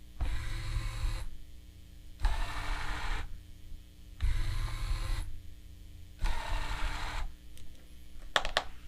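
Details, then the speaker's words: Zombie riser prop repaired with an Arduino and a motor controller, test code running before the limit switches are attached. The lift motor whirs in even one-second bursts with short pauses, up then down. Normal lift motor cycling. "so basically what that code is going to do you know move it up for one second stop move it down for one second"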